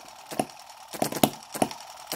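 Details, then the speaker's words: Microcosm M17 1.6cc model hit-and-miss engine with atmospheric intake valve, mixture just richened quite a bit: sharp pops every half second or so with quiet coasts between; owner wonders if it will die from over-richness as before; rich mixture. "just riched it up quite a bit you can hear quite a difference but I'm wondering if it will go um you know die from over richness like it was before..."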